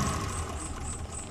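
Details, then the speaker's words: Suzuki Carry Extra after replacing all four spark plugs to cure shaking, limping idle and high fuel use: smooth, steady idle with even low rumble, no shake or misfire stumble; engine now idles stably. "yang penting sekarang sudah enggak goncang dan mesin bisa langsam ini RPM nggak ada setengah lur dan memang mesinnya masih stabil ya masih bisa langsung"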